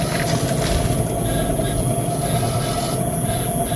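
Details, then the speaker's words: Raised wheel spun by hand: steady rough rumble with a constant hum, sounding like a broken wheel bearing. "แล้วเนี่ยเสียงเหมือนลูกปืนแตกเลยเนี่ย"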